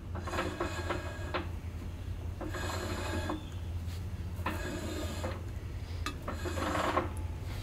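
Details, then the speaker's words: 1964 Ford 4000 row-crop tractor, out of gear, rear wheel drum spun by hand after brake install and adjustment: light scratchy bursts besides gear knocking, brake shoes lightly dragging the drum as intended. "now if you hear that sound that's other than the gear knocking kind of sounds kind of scratchy that is your shoes dragging your drum"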